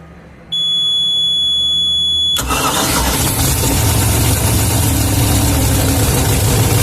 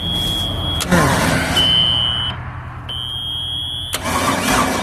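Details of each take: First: Boat with center-bolt 350 Chevy V8, long-stored: thin electronic beeping, then the V8 catches quickly and settles into a steady, even idle with no misses or knocks; normal idle. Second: Long-sitting ski boat with 350 Chevy V8, water found in the fuel tank, very old fuel: starter grinds in uneven bursts, engine turns over but never catches; no start, cause unconfirmed, compression test next.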